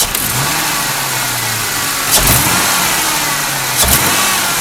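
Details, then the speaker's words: 2001 Ford Mustang 3.8 V6 with manual gearbox, new EGR valve, wires and plugs, old coil pack tested OK: idles fine and takes gradual throttle fine, but a sudden hard stab makes it stumble, sputter and shake. Engine misfire under sudden hard throttle; no shop has diagnosed it. "So when I gradually apply the throttle, it's okay. It's totally fine. But if I suddenly hit it hard like this, you can hear this car kind of freaking out."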